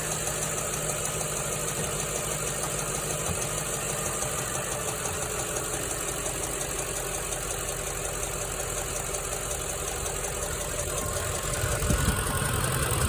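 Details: 2006 Ford F-150 5.4L V8 at idle with a light, even tick at about 220 a minute, seemingly from both sides and louder when hot. Passenger rockers and cam looked good after new plugs and a coil; the driver side sounds like chain rubbing. Cause not found.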